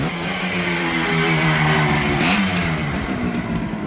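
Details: 1967 Kawasaki A1 250 two-stroke, freshly tuned up with donor parts, little choke: crisp, even buzz climbing cleanly as throttle blips and dropping back; revs freely, smoking showing oil pump working; healthy.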